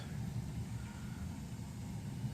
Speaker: If you can hear it, it's it's working and it's on right now.